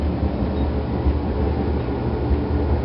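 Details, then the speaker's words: Whirlpool Calypso GEW9868KQ1 dryer after vacuuming and lubricating the motor bearings, drum roller guides and idler pulley bearings with CRC 2-26: the drum turns with a smooth, even low hum and the earlier squeal is gone. "so as you can hear it here's a drum no more squealing"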